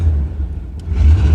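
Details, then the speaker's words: 1988 Chevrolet Suburban 2500 V8, first start after 6 years of storage with new battery: deep, lumpy idle with rough uneven chuff over the rumble from a broken exhaust header; strong fuel smell. "You can really hear that broken header."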